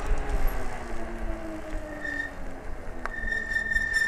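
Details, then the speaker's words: Euybike (Auloor) S4 e-bike, 48V 1000W hub motor, riding off-road in wet conditions: thin, high squeal comes in twice as the disc brakes are applied, because they are wet. "hear the brakes squeaking a little bit that's cuz they're wet"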